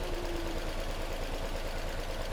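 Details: Nissan Almera with shaking, poor acceleration and check-engine light: low, slightly lumpy idle unchanged when the cylinder 2 coil is unplugged, showing that ignition coil has failed; to be replaced.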